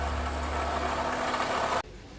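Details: Chevrolet Corsa Classic 2012 VHC-E engine with strange noise, water pump suspected, pump changed about three months earlier after thermostat failure: idling with steady low hum and faint whirring tone, pointing to worn water pump bearing.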